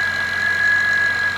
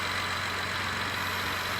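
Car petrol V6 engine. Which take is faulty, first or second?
first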